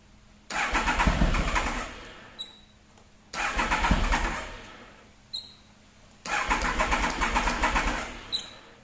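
Three long cranking bursts, the starter chugging roughly three times a second each time, but the engine never catches. Cause suspected, not confirmed.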